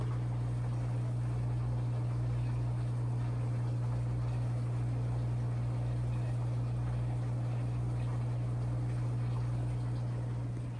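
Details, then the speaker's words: 11-year-old Kenmore Elite washer after an E58 error fix: smooth steady low hum with a soft even whoosh and no knocking or scraping; the drum spins normally, where last time it apparently did not spin. "last time there's no noise coming out here"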